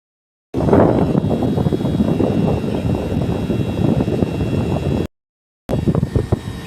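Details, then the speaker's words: Daikin single-system condenser after LC-2 error, mouse-shorted burnt inverter PCB; main and inverter PCBs replaced: steady airy fan rush over low compressor hum, no knocking or rattling; test run back to normal. "Now, we dismantle old PCB board and replaced new main PCB and inverter PCB. After that test run system back to normal."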